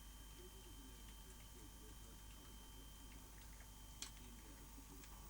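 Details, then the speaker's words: Philips VR2220 portable V2000 video recorder (dated 28 January 1983, damaged in the post) in playback: irregular light ticking and faint whining over the running noise, possibly damaging tapes; an abnormal tape transport noise. "it sounds like it might be damaging the tapes let's get the tape out"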